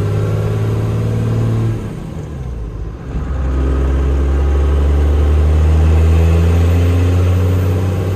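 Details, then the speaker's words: 12-valve Cummins diesel truck with new head studs, AFC housing, fresh fluids, after gearbox repair (new countershaft and main shaft gears, synchronizer, clutch cone, fluid), first drive: strong pull, brief dip at shift, smooth climb, no whine or grinding; normal running through gears. "Runs good. It seems like it's got some work to it. Sounds good. Show you guys running through the gears."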